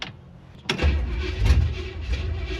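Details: 1967 Chevy Impala small-block V8, pedal pumped before cranking, then held wide open; it needed heavy pedal bumping to fire last time: silence, then a sharp crank burst, engine catches and settles into a rough, low rumbling run; hard start.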